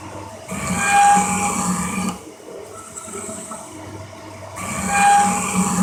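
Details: Cincinnati 24-inch metal shaper parting off a gib from stock, ram slowed to 14 strokes a minute with 13.5-inch travel: long strokes with a harsh steady squeal over the rumble, heavy tool chatter; cutter geometry or feed depth suspected.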